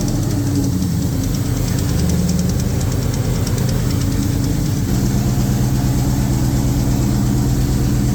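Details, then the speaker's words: 2003 SVT Cobra with a newly built engine, first start: the V8 idles with a quick, light tapping that persists with the supercharger belt removed and seems to come from the valve cover. "Started off really good, and started hearing a little bit of a tapping noise."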